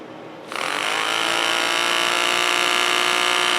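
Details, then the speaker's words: Smiths heater blower motor from a 1959 Triumph TR3A, cleaned with rear bearing block oiled, bench-tested: spins up quickly to a steady, even whine with no scraping, quieter than before though still some noise. Normal running. "let's try to flip this on it's definitely quieter than it"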